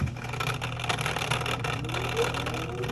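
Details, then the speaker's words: LG washer that won't drain and leaves water in the tub after the cycle. The drain pump makes an uneven, rough whirring hum with a low drone and a faint rising whine. Opened up, nothing was in there; the pump is bad. "That doesn't sound right. That does not sound right. I've already opened it up. There's nothing in there. That pump is bad."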